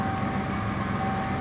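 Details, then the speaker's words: 1987 Ford Ranger after a jumper fix in place of the compressor relay, A/C on, floor reading about 61–64°F: steady even idle hum with a faint constant compressor whine, no knocks or squeals; normal idle with A/C compressor engaged. "Fire it up with our jumper plugged back in. Compressor is engaged."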